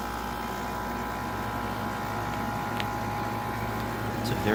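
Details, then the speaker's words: General Electric 5,150 BTU window AC, unused for a long time, with weak coil airflow: a smooth, constant hum with steady tones and no knocking. Owner briefly suspected a lubrication issue but calls it a nice-sounding compressor, running normally. "nice sounding compressor i could listen to that all day"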